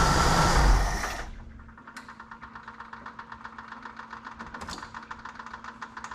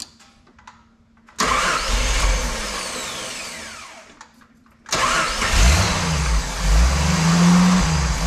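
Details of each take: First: 1988 Jeep Wrangler YJ Sahara 4.2 inline-six after idle tuning to about 19 inHg vacuum, warm engine shut off and restarted: short loud crank, catches at once, settles into even, steady idle; clean hot start. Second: 1988 Jeep Wrangler YJ Sahara 4.2 inline-six with carburetor: with base timing at 11° (spec 9°) and after moving distributor vacuum hose to ported vacuum, engine catches and revs cleanly with better throttle response, then sags toward stalling with no steady idle.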